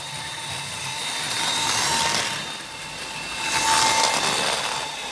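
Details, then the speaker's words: Roughly 40-year-old Hornby Class 37 model loco after half an hour of running, following oiling of axles and motor shaft: thin high squeal rising and falling as it passes; lubrication did not fix it, cause still unknown. "So the loco's been running now for probably half an hour, 15 minutes in each direction. It's still as you can hear, making the noise."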